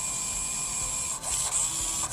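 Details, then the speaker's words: Arrma Talion EXB RC truck with the stock metal-gear steering servo, after steering was lost during a run: a high, thin gear whine with rough chattering bursts as the servo strains. Stripped servo gear suspected, not confirmed. "looks like this servo just went to poo you guys can hear it too so probably strip the gear or something"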